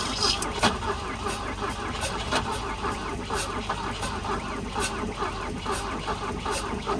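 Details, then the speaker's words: 1966 Volvo Amazon 122 estate, abandoned and long unrun, first start on jump; uneven, lumpy idle with sharp pops every second or so; owner suspects lean backfire, possibly running out of gas. "Listen to this sucker purr. I think it's a lean backfire. Might be running out of gas. Sounds like it."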